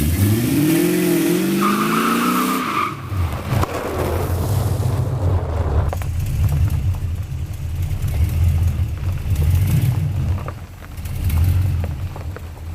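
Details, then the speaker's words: 1979 Camaro with a junkyard 6.0 LS V8 swap just completed. After a few seconds of music, a deep, even V8 rumble runs steadily with gentle rises in revs and sounds healthy. The car runs and moves but probably still needs more transmission fluid. "The LS do-over is completed. It runs, it moves, probably still needs some more transmission fluid, but that's for another day."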